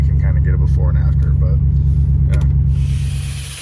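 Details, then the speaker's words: Audi A6 4.2 V8 cold start with light revs, also needing O2 sensor and spark plugs: deep, loud rumble with steady puffing pulse; exhaust leak suspected at the bad flex pipe. "let you guys get a cold start with the bad flex pipe and um bad flex pipe and o2 sensor and needing spark plugs"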